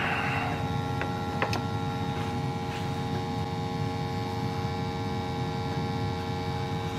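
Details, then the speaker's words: Lennox steam boiler after cleaning and relevelling a tilted pressuretrol: constant low roar with steady hum, no rumble or popping; burner firing smoothly. "so it seems to be burning pretty good"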